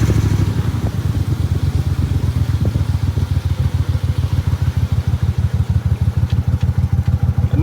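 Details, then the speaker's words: Briggs & Stratton Vanguard V-twin dual-carb Mud Buddy boat motor, freshly rebuilt after flat cam, on water: low idle with heavy uneven throb about three times a second, pulsing off the carbs, slight stumble; running rich. "one thing i'll say is uh the noise off the carbs you can definitely hear that pulsing off the carbs it's kind of in your ear uh we got a little stumble coming out"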